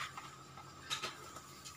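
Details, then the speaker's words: Suzuki GSX that won't start: starter relay gives a couple of sharp clicks but the starter motor doesn't crank; the relay ground signal comes from the ECU via the 12 V starter button and is weak; new relay being tried. "cuma cecak gitu aja"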